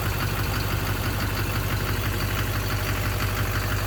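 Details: 2009 Chevrolet Duramax LMM diesel V8 dually at cold morning start-up idle: a steady, deep knock about twice a second, at first mistaken for an exhaust leak; owner suspects injector knock or a cracked flexplate.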